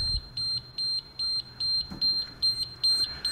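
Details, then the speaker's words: Auction-bought large diesel generator that runs about 10 seconds then shuts down on a control-panel error, restarted after adjusting the voltage potentiometer; high-pitched electronic beeps about two or three a second as it shuts down; same error, cause unconfirmed. "all right so I'm just going to fire it up now and see if it's made thank you nope still got the same error"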